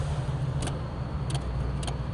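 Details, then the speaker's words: 1996 Ford Bronco horn wiring repair: four crisp relay clicks over a low engine hum with no horn tone; the horn relay (third one down in the power box) is switching properly. "you hear that you hear the relays clicking that means your relay works"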